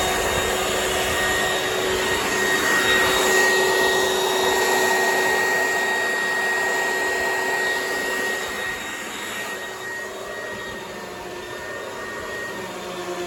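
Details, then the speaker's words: Oreck XL XL9100HG upright vacuum after clearing a jam and refitting the fan housing, previously grumbly: smooth, steady motor and fan rush with a clear whine, no bogging, settling slightly lower; sounds a lot better, airflow unobstructed. "Sure sounds a lot better."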